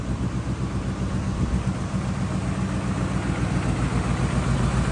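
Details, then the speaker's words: 2000 Ford F-250 Super Duty, 5.4L Triton V8, automatic, 4x4, 142,000 miles, just started: even, low V8 burble at steady idle with no knocks, ticks or misses; sounds healthy, though a tune-up is suspected to be needed. "There we go. 54 under the hood. Sounds good. I bet it needs a tuneup."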